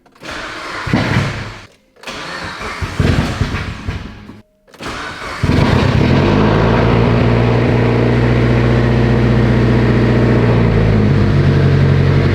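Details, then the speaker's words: Mitsubishi Lancer Evo 8 on first start after bleeding the lifters and fitting new plugs and the coils: two short cranking bursts, then a smooth steady idle with suspiciously quiet lifters, no tick and no leaks; normal start and idle. "i'm laughing because these freaking lifters are so damn quiet it's a little bit suspect"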